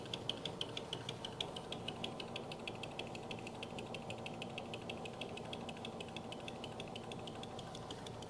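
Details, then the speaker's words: Lathe cutting a thin disc held by double-sided tape on a faceplate, with a live center restraining it: a light, fairly even ticking about three times a second rides over the cut as the tool contacts the tape. "There, you can hear now the tool's come into contact with the double-sided"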